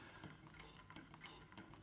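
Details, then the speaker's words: Singer model 24 chain-stitch sewing machine, restored and turned by hand: almost silent, with soft, even light ticks of the thread over the hook underneath. Normal smooth, well-balanced running. "just listen to that almost silent you can just hear the thread ticking over the hook underneath"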